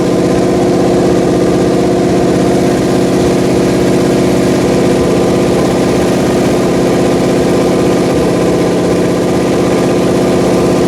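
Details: Pontiac 400 V8 on a homemade run stand, second cam break-in after the first failed; loud, steady high idle on the fast idle cam with even exhaust beat, no lifter tick; holds speed cleanly, though leaking oil from the valve covers.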